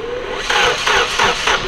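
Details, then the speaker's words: Nissan project car while setting base timing: starter grinds over in slow, heavy pulses, about two and a half per second, dragging against compression; sluggish cranking, said to be normal for it and faster with the plugs out. "the engine cranks all like this which honestly it's just a freaking K Nissan thing um you take the plugs out it cranks a lot faster"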